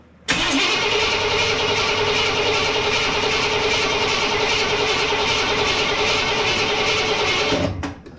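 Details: 1987 Chevrolet K5 Blazer with rebuilt small-block V8 and TBI fuel injection: starter churns about eight seconds without catching, brake cleaner sprayed in; crank no start from clogged fuel injectors.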